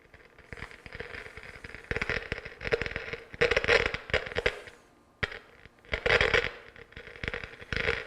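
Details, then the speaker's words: Pioneer SX-727 AM/FM receiver (probably early-mid 1970s), left channel preamp out fed by RCA into a signal tracer: irregular bursts of popping and crackling static over a quiet floor, silent with jumpers pulled; fault confirmed in the preamp. "so that pretty much lets us know we're definitely in the preamp on this one"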